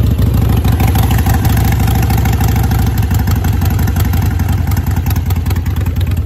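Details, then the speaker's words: Harley-Davidson V-twin fitted with a manual idle air control valve, started cold: slow, lumpy, loping idle close to stalling; check engine light comes on as it wants higher rpm; cold idle set too low. "cold so you're going to see that check engine light come on because it wants the RPM to be higher so I'm going to raise it back up"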